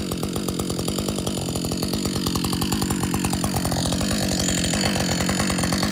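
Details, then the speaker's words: Husqvarna 562XP chainsaw, after the shop reflashed its software for dying when hot and stumbling, warm-restarted after a lunch break and refuel: steady, even two-stroke idle with a quick regular beat and no stumbling or surging; normal idle. "this is a real scenario took a break took a lunch break had some water fueled it up need a rest let's see if this saw will run in idle"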